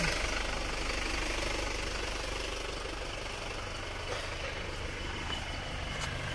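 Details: Isuzu Panther automatic diesel, rebuilt after stalling at low rpm, idling at the workshop after the road test, heard from outside: soft, even low rumble with no misses or knocks, and almost no smoke. Healthy.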